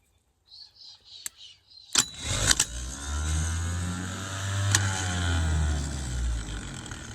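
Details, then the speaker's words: 1975 White 2-150 tractor starter, triggered by a jumper wire at the solenoid on a 12.7 V battery: sharp solenoid clunk, then the starter spins up to a steady hum and winds down smoothly; engages and pulls in fine, nothing wrong. "so there's nothing wrong with that that's just yeah flicking in pulling in no worries at all"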